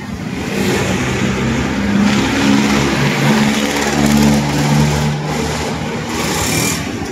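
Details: Honda Beat scooter that wouldn't start, after repair: small engine revs up cleanly and holds steady without stumbles or misses; normal running.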